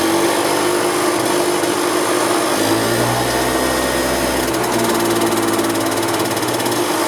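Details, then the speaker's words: 1990 EZGO Marathon golf cart two-stroke with oil injection, jacked up since it has no neutral, after carburetor cleaning, new filters and fuel line: even buzzy drone at steady pitch, no stumbles or misfires, runs strong and smooth. "this cart runs good nice and strong yeah that's a winner"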